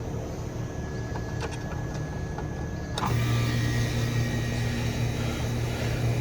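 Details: Residential central AC outdoor unit with a not-cooling complaint, new capacitor fitted and a Supco Super Boost SP6 hard start kit just installed: quiet fan hum, then at three seconds the compressor starts with a firm steady low hum; clean start, no struggle.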